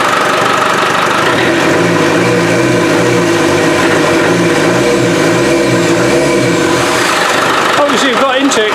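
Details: Land Rover 300Tdi diesel after pump replacement, running without the intake pipe fitted: steady clattery idle with a loud open hiss and roar of air drawn in; loud intake noise from missing intake pipe, belt squeak gone.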